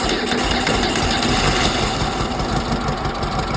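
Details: 1968 Volkswagen flat-four rescued from the garbage, first run fed by a squirt bottle of gas: steady, busy idle with an even, quick beat and no misses or heavy knocking. Normal idle.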